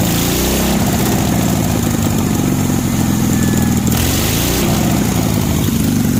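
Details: 1965 Cushman Truckster with an 18 HP OMC engine, after a cylinder jug swap, new spark plugs and carburetor tuning, started on choke: steady, even chuff at idle with no misses, knocks or hunting; it runs properly.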